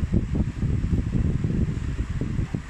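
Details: Orbit standard electric fan, one of 13 school units, after cleaning and a capacitor replacement, on test: low, soft whooshing hum with gentle air buffeting and no rattle or scraping, normal fan operation.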